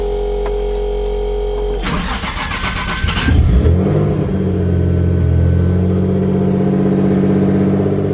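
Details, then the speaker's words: Infiniti Q50 started on a cold day: starter whirs, engine catches, flares, then settles to a fast cold idle with a puffing tick at the exhaust, indicating an exhaust leak. "You guys hear that exhaust leak? Trash."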